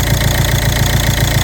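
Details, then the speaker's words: Ford Mondeo 2.0 diesel, 136 hp, automatic dropping into limp mode: after unplugging the valve's electrical connector, even steady low idle knock with the quacking sound gone; valve membrane torn or filter clogged suspected. "Двигун працює рівненько, але пропало квапання."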